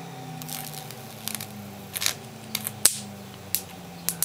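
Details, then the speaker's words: Film capacitor fed crudely rectified DC from a microwave oven transformer: irregular sharp snaps and crackles over a low hum as the dielectric film breaks down. "There you go, capacitor's destroying. Hear that crackling? Well, that's a capacitor breaking out, like the dielectric and all that, the film breaking down."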